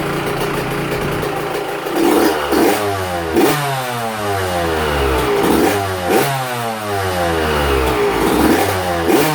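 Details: Two-stroke, fresh top-end rebuild, first heat cycle with little smoke, indoors: crisp blips every second or two, rising and falling cleanly and settling back each time; healthy.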